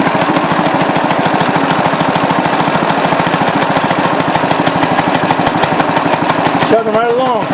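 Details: Restored rare Briggs & Stratton NR6 6:1 gear reduction single-cylinder engine, first run after restoration: fast, even firing at steady speed, no misses or knocks; runs smoothly.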